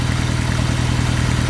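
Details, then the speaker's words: Honda Civic with an eBay turbo kit at idle: an uneven, loping beat with a stumble every few firings, running on three cylinders. Swapping injectors moved the dead cylinder, confirming a bad injector; the plug may have run lean and hot. "it's only running on three cylinders right now"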